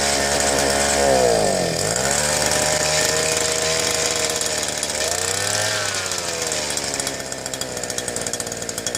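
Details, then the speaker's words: Southland two-stroke post hole digger on jack stand after fuel-line replacement, primed, runs only on choke: revs surge and sag raggedly, smoky, long warm-up; new carburetor suspected. "Obviously wants some warm up. Seems kind of smoky. Seems like it took a long warm up period."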